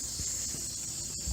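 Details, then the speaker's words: Corvette A/C system pressurised for a leak test, gauge dropping slowly; a steady high thin hiss under handling knocks locates the leak at the front-mounted A/C condenser, which needs replacing. "so that's where the leak is so this guy needs a new AC condenser but at least now we know where the leak is"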